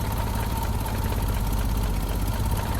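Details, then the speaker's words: 1988 Jeep Comanche Renix 2.5L I4 manual, idling while reading ECU data: deep slow uneven thumping; owner suspects idle needs calibrating, possibly idling around 300 rpm; rough low idle. "I'll have to see if the idle has to be calibrated though I mean it could be idling at 300 possible"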